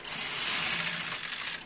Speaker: As you can hear, it's moving.